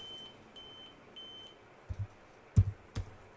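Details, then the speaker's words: Dell Vostro laptop sounds repeating beeps at power-on with a "real time clock error, check date and time settings" message. The beeping continues in BIOS until the date and time are set and the settings saved. Three evenly spaced high beeps, then key clicks. "so to solve this issue is just to set the date and time and as you can see we have it here so today's date is let's say time set the time"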